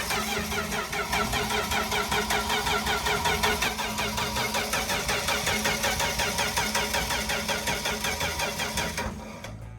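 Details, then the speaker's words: 1964 Dodge D100 truck, sitting since 1996, cranked without firing to bring up oil pressure: long even starter cranking with a steady repeating chug; it builds oil pressure. "Oh my God, it's good, it's building oil pressure."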